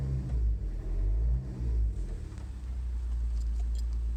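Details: Vauxhall Astra H 1.9 CDTI: low droning hum heard only inside the cabin, at 1,000–2,000 rpm and when setting off, rising and falling with revs; not audible outside the car, source unknown.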